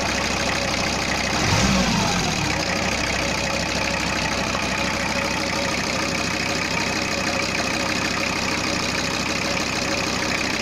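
Even, steady diesel clatter at a settled idle with no odd knocks or misses; the engine idles smoothly.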